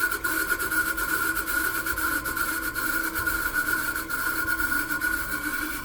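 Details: A steady high whine riding over even running noise, holding one pitch throughout. A bad bearing is suspected but not confirmed.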